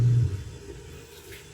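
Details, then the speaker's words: LG upright freezer that had stopped cooling, plugged in after capacitor replacement: compressor kicks on with a strong low hum settling into a steady, quieter drone, running normally. "so umandar na mga k diskarte mo TV yung compressor yan"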